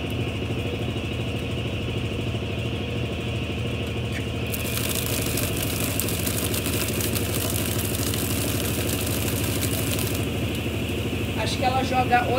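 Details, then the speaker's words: 1993 Brastemp Mondial Rotativa washer spinning: a steady rumbling whir with a light uneven rubbing clatter. The owner says it is the new shaft seal (retentor), normal, and should stop over time. "esse barulho esse em que vocês ajudando é o retentor é normal com o tempo esse barulho ele vai parar porque como a mecânica dela é norma retentor é novo essas coisas então ela faz esse barulho mesmo"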